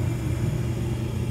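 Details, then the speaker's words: York Diamond 80 gas furnace on a no-heat call, heat called at 70 °F: inducer starts, igniter glows, burner lights with a smooth, steady low roar and no popping, rumble or whistle; normal burner operation. "I hear an inducer. Inducer's running. And we have an igniter. And we have ignition."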